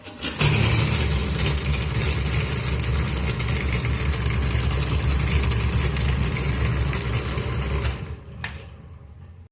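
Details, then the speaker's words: Hot air oven fan motor, cover plate removed; steady rough rushing hum with coarse rattle throughout, fan loose because motor bore is worn on both ends though centre fine; to be fixed by boring it out and fitting packing to tighten. "ये जो bore है इसका दोनों तरफ से घिस गया है सेंटर में बीच में इसका सही है लेकिन दोनों इधर भी घिस गया है"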